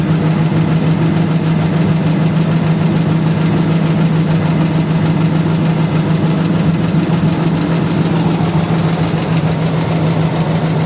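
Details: 4.7 engine at idle: fast, rough tapping about three per second over a steady hum, an internal knock of unknown origin.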